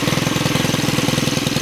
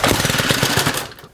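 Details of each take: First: Stihl FS91R trimmer after clutch spring replacement: quick, even two-stroke idle ticking over steadily, then switched off; trimmer head no longer spins at idle, normal idle. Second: Stihl FS91R trimmer at idle: rough, rattly two-stroke idle that stutters and dies within a second while the trimmer head keeps spinning when it shouldn't; clutch engaged at idle.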